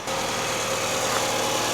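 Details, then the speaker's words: Toyota Estima idling after decarbonizing; even steady idle with no knocks, misses or rattles; normal idle. "теперь она хоть работает как нормальная машина вас послушайте как нормальная тойота звучит"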